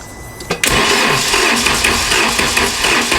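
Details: VW Mk2 Golf that wouldn't start: quick, uneven starter cranking that won't catch despite spark confirmed at the plugs; crank-no-start, a vacuum leak from unmetered air via a cracked intake boot.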